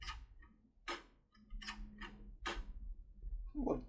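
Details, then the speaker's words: Securemme/SAB CAM Border 3+3 lever lock being opened with a turbo decoder: sharp, irregular clicks, about five in four seconds, as the tool's large stroke strikes the anti-pick hooks and slips past them. "here you can hear that it also hits the hooks no no but nevertheless bypasses them"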